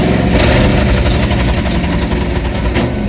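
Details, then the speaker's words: 1995 Mustang GT 5.0 V8 revived after new fuel filter, pump pickup, repaired lines, new fluids and a belt bypassing the locking smog pump: lumpy, loping big-cam idle with deep rumble, running without stumbling; healthy. "Here comes the big cam. It does sound cam though. It does."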